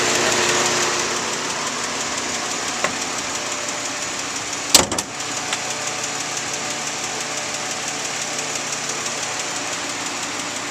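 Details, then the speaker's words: 2004 Nissan Maxima 3.5 VQ, fully warm after an hour, fan off, hood open: light fast ticking at idle, three weeks after timing chains and tensioners replaced cured a rattle; owner suspects lifters or valve train, possibly normal for VQ. "um that's the sound I'm getting at idle the car's warmed it's been run uh for an hour or so now the um fans off you can hear it to me it sounds like it's the upper valve train whether it's the uh lifters or valve"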